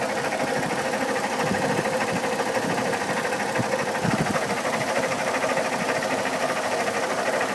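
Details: 2002 Chevy Trailblazer at idle: fast, uneven ticking knock about a hundred a minute, seemingly from the fan at the front; fan clutch replaced two years ago, oil pressure checked, codes P0105 and P0420, cause unknown.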